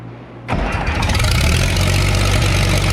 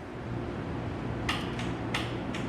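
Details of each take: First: Case 930 diesel tractor, freshly started after exhaust manifold patch repair: cranks, catches quickly and settles into steady idle with sharp puffing tick each cycle; exhaust blowing past manifold gasket at number four top side, needs new gasket. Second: Cold-natured tractor (930) diesel with grid heater: a few sharp, irregular relay clicks over a low steady hum as the grid heater switches on and works normally before starting.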